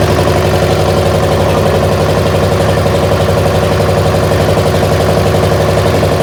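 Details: Massey baler twin-cylinder diesel engine: steady low thumping with an uneven, lopsided beat. It is running on one cylinder, the one fed by the original injector pump.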